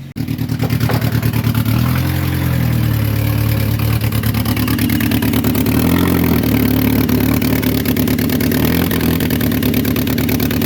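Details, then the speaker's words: 2006 Saturn Ion 3 after temporary exhaust pipe leak repair with steel putty, JB Weld and aluminum tape: steady idle with soft, even exhaust pulses and a faint occasional sputter, no leak puffing; exhaust now quiet and sealed. "That's like this. A little sputtering, but it's definitely quiet."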